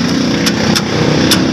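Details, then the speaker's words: 1992 Toyota Corolla small-body will not start: sharp, irregular single clicks, about five in two seconds, with no cranking. The starter solenoid gets too weak a feed on its start line from the key switch. "Okay na sir yan guys narinig naman sa video ah lumalagitik lang siya ah Minsan naman umaandar"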